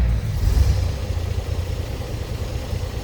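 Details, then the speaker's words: 1929 Chevrolet AC International 2-door sedan, first start of the day indoors, choke out slightly, in neutral: catches almost immediately, settling into deep steady low rumble, no misses or knocks; easy healthy cold start. "Starts very easily. Let it warm up a bit. I haven't had it running today."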